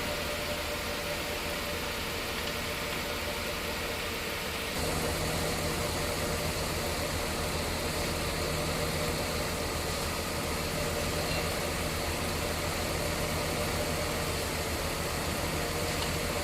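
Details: Mercedes-Benz S280 idling with AC on: louder droning hum from the compressor; refrigerant leaking from an AC line, charge down to about 60 two days after refilling; after line repair and oil top-up, compressor quiet.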